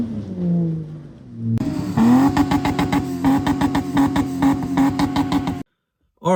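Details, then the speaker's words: Toyota LandCruiser exhaust before fitting Pacemaker extractors, from clips of previous trips: several quick revs up and down with a clean, deep exhaust note and no rattles or popping. The exhaust sounds healthy. "I've just realized that I forgot to do a before shot for what the exhaust sounds like. So, I'll pop a couple clips up uh from previous trips. It sounds pretty much the same as it did then."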